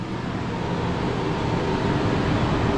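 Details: Daikin/McQuay two-pipe fan coil unit with emergency electric heat, after blower reinstalled on resilient mount and rewired: steady, even rush of air with smooth low hum, no stalling or buzz; blower running normally.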